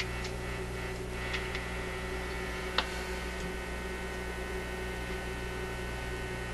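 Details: Zenith Y825 vacuum tube AM/FM radio, worked 6 months ago then sat on a shelf; on FM, owner suspects missing antenna. Steady low mains hum, faint static and clicks, no station received; cause not confirmed.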